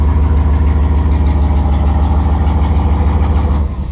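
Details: 5.2L Dodge Ram turbo build, exhaust only tack-welded: loud, deep, raw idle rumble with an even chuffing pulse and no muffling, exhaust leaking at the loose tacked joints.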